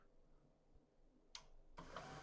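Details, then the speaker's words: HP LaserJet P1102W laser printer after repair: quiet at first, then a smooth, even whir and paper-feed sound with no cracking. The earlier loud cracking was caused by a loose piece of plastic found inside and removed; the printer now runs normally. "no truena ya no se escucha el ruido ahora ya no se escucha el ruido que teníamos aquí"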